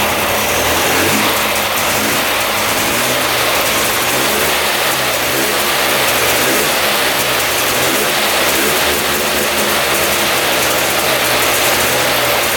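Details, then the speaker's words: 2002 Polaris Scrambler 400 4x4 ATV after repeated plug cleaning; single-cylinder holding a steady run with some rising revs, no stalling; smells like coolant burning off, owner believes crankcase fuel-water contamination is clearing, head gasket doubted. "running now pretty good kind of smells like cool and being burnt off"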